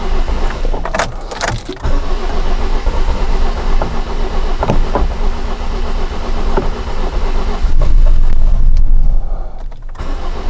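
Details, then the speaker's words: 2007 Toyota Corolla four-cylinder petrol, hard to start, strong fuel smell: deep lumpy idle with uneven stumbles and no steady beat, misfire-like. Rough idle. "could see uh probably you could hear on the camera that it is definitely rough idle the car is running at the moment I can feel this kind of like a misfire not really a misfire but very rough idle"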